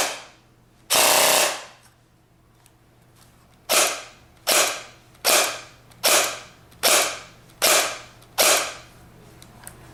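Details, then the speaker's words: G36C airsoft gearbox dry-fired after hop-up modifications; owner suspects the air nozzle had been hitting the hop-up chamber: about eight crisp single cracks, each cycling cleanly with an even snap and no binding or grinding. Normal gearbox cycling. "I've noticed that it seems to be a lot smoother in there because the way it's acting through the gearbox. I'm thinking the air nozzle was probably hitting the hop-up chamber, not sure, but here's the sound just so you can hear it. It sounds really smooth."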